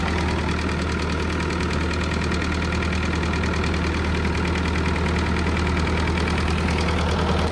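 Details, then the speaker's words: Old Ford 9N tractor after repair, idling: the generator is charging the battery; deep, even low chug with no misses or knock, running smoothly. "but we'll see like I said we'll let run for a little while here but man that is that is running really well"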